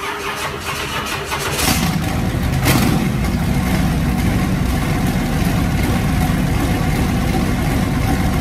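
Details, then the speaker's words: Small-block Chevy turbo truck V8 after cam swap to a Comp 280HR hydraulic roller mild cam: cranks, catches at about two seconds, settles to a steady slightly lumpy idle; clean start, healthy. "like i said this is a baby cam it's a 280 hr comp hydraulic roller it's nothing big so it's not going to sound big but it does run"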